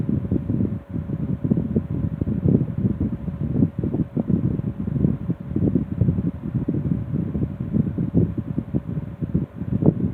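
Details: Restored 1960s Phoenix 16" box fan by Frigid with freshly serviced General Electric motor, started on low and needing warm-up to reach full speed: soft low whooshing hum with gentle air surges, no rattle or grinding; normal running.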